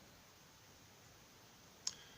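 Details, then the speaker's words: Wemos D1 mini (ESP8266) WiFi relay shield switching on via the web page: one sharp, crisp click in a quiet room as the relay pulls in cleanly; normal relay click. "and I can I can also click off and I don't know if you can hear it but that's the that's the relay clicking on"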